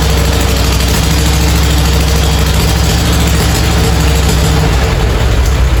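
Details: Farmall A tractor revived after 10+ years idle (new radiator, fan, belts, hoses); deep, steady low four-cylinder rumble with even beat, no knocks or misses; normal idle.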